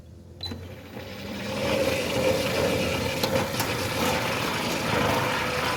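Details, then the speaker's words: Centurion D6 Smart sliding gate motor on a steel sliding gate, running at normal speed: a rising rough grinding rumble with quick ticking about four a second; noise attributed to the steel ground track, and slowing the motor is the fix. "Most of the times it's the steel ground tracks that are causing the noise on the gate motor systems."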